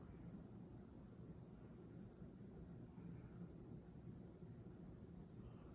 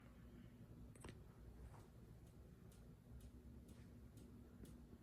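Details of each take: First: Minka Aire Volterra ceiling fan, which clicked and wobbled slightly, now running with only a faint steady hum and no clicking after being wiggled; the clicking has stopped. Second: Minka Aire Volterra ceiling fan: quiet hum with a light, sharp click repeating about twice a second; clicking later stopped.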